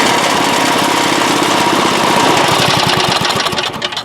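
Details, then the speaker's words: 1986 Craftsman single-stage snow blower, small single-cylinder engine, after a new #35 auger chain and new belt, cover still off, no load (no snow): steady, even chug with no knocks or slipping, running very smoothly. "i'm satisfied with that that seems to be running very smoothly and our new belt and chain is got this baby ready for the next snowfall"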